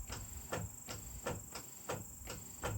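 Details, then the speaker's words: Newly installed trolling motors with PowerBrakes on a boat: the direction relay in the engine compartment clicks sharply about every 0.4 seconds over a faint steady hiss and hum while running both directions, working normally. "You can hear You can hear the relay clicking back here in the engine compartment. That I'm going both directions right there."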